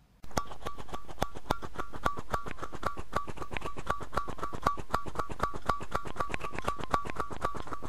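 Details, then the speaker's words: Apple M0110A keyboard with Alps SKCC tall cream switches, recorded up close: crisp, evenly spaced key strikes, each with a bright metallic ring at one pitch; the characteristic loud spring ping of these switches. "here is an up close recording of the sound of one of these skcc switches you can quite clearly hear the pinging noise"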